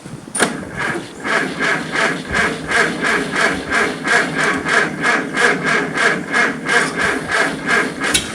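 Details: Farmall Super C tractor after a blizzard at -5 F (25 windchill), kept on a battery maintainer: slow, even cranking about three turns a second for eight seconds without catching; hard cold start.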